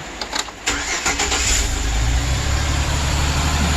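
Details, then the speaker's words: 2008 Chevrolet Express, no coolant hooked up: brief crank, catches and settles to a steady, even low idle without ticking; old oil burning out of the exhaust with heavy smoke; runs healthy, only briefly run. "Just got it started. That's the old stuff. I really can't run it too long because I don't have the coolant and stuff hooked up to it, but"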